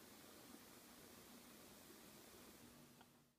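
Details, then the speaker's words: Olympus OM-D camera in aperture-priority mode. Right after switch-on, a steady faint hiss with a low hum comes from inside the body, an abnormal noise judged to be a fault. "症状、スイッチを入れます。こういう異音がします。"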